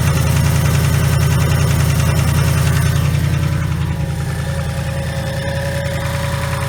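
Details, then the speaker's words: 2019 Mustang GT, blown engine awaiting replacement, puffing smoke from the passenger-side exhaust. Deep rough idle with a steady knock at about three and a half per second, pronounced under the hood. Suspected rod knock or other internal damage, not confirmed. "the noise is very pronounced under the hood it's got some kind of a rod knock or something like that internally"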